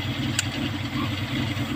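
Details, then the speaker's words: Kia Pride at idle before repair: uneven, lumpy beat with a regular stumble every few firings; misfire, later traced to a carbon-fouled spark plug. "yan nag-miss firing pagka ganyan Ano lang yan spark plug pero h natin alam kung anong spark plug ang hindi gumagana"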